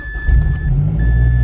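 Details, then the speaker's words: Mazda Speed 6 that previously started then instantly died, after fitting new Mazda MAF sensor: brief crank, fires and holds steady loud idle with warning chime; bad MAF was the entire problem, straight-pipe exhaust. "No! That was it! That was it! That was literally the entire problem."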